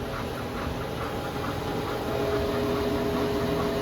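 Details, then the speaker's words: Porsche Cayenne/VW Touareg 2011+ driveline: steady droning hum with faint rumbling pulse above about 27 km/h from the vehicle center, confirmed as a bad driveshaft center support bearing, fixed by replacement. "so confirmed this bearing in here is bad"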